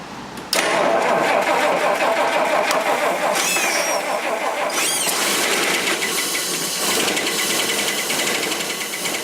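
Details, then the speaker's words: Rolls-Royce Silver Cloud III towed in for fail-to-proceed, with plenty of fuel and earlier running rich: the engine catches and runs unevenly with a lumpy stumbling beat; a misfire, suspected ignition fault (points and condenser). "See, hear that? It's got more ignition problems, it sounds like."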